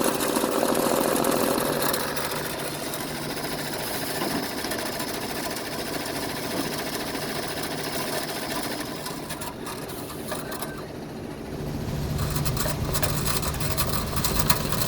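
A rapid, steady mechanical rhythm near three beats a second with a harsh gritty grind running through it; the machine is grinding.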